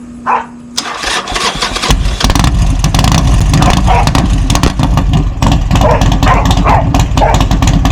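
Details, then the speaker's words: Cheap Harley-Davidson V-twin that failed to start previously, cranked on jumper cables after charging: short crank, then catches and settles into a lumpy but steady idle; healthy start, sounds good. "There you go, guys. The bike in fact runs, and I'm not gonna lie, it sounds pretty damn good. I mean, you cannot beat that sound."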